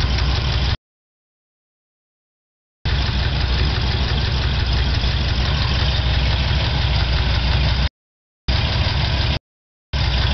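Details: Chevy 396 V8 idling: light steady tick over the low rumble, seemingly from the top end/head; noise just started, valves were adjusted but ticking remained.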